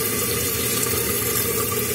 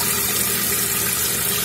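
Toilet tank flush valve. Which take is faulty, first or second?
second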